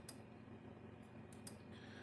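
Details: Gallagher M1000 electric fence charger under load, reading about 4.4 kV and 5 joules output on a 10-joule unit: quiet room with a sharp dry tick roughly every one and a half seconds; it pulses normally.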